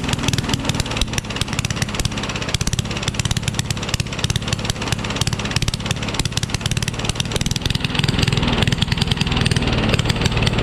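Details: Rally push mower, Tecumseh Eager 1 engine with no muffler found: very loud open-pipe bark with an uneven stumbling beat that never settles; runs badly, only starts with starting fluid, needs work.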